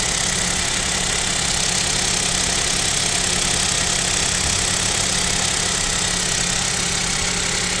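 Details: Kia Picanto 2 1.0 G3LA, cold idle at about -7 °C: sharp, regular ticking knock at engine speed over bright clatter; owner suspects piston knock and possible overhaul, unproven.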